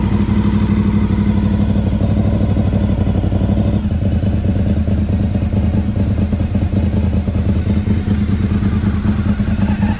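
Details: 2003 Honda RC51 SP2 V-twin warming up after rodent-damaged wiring harness repair and coolant refill: loud, lumpy idle with uneven chuffing pulses over exhaust note, exhaust blowing where pipe meets rear-cylinder manifold; to be fixed to quieten it.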